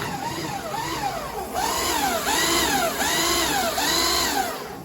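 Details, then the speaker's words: Chas twin-motor Sinclair C5 electric trike, restored, second throttle button operating one motor: motor whine climbs and falls with each throttle blip, clean and smooth with no grinding or rattle; healthy motor run. "And again, you can obviously operate both of them. So obviously it's hard to do this, but if you listen to the tone, that's one."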